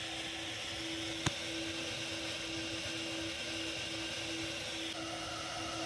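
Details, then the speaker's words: Superflow 600 flow bench at 5–5.5 inches of water testing a modified K&N stub stack on a Holley carburetor with drop base: steady high motor roar sags way down then recovers; the stack flowed less. "when I first put the modified stub stack on I could hear that there was definitely a problem with slow bench fog way down it recovered"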